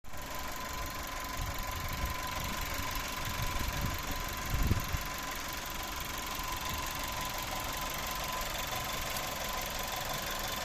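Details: Skoda Octavia A7 1.4 TSI, 150 hp, 150,000 km, at idle: a thin, steady high whistle from the turbocharger over an even idle. Cause not yet found.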